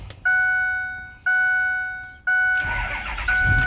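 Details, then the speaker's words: 2009 Ford F-450 DRW 2WD diesel work truck, 153k miles, DPF and EGR deleted, cold start: three even chimes, then the engine fires at once and settles into a steady diesel clatter; starts right up and sounds good. "So starts right up, sounds really good."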